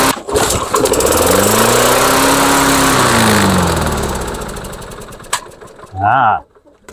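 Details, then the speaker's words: Two-stroke engine fitted to a Mastercraft 3-in-1 mower, with old Chinese spark plug: catches and races up to a high howl, holding before falling away; running out of control, owner suspects sticking governor linkage. "she runs a little bit out of control the plot FS let's see why I'm going to have a peak"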